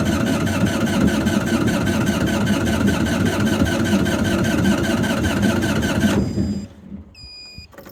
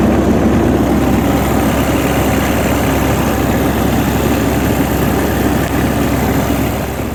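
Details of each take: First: GreenMech Quad Chip wood chipper diesel, at yearly service after battery charge: steady starter churning about three beats a second for six seconds, no firing; likely no fuel in system, needs bleeding at the three injectors. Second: Greenmech Quad Chip wood chipper, 2012 model with 1,500 hours, diesel engine idling after yearly service and fuel-system bleeding: steady, even rumble with a smooth low beat and no knocks or misses; normal idle.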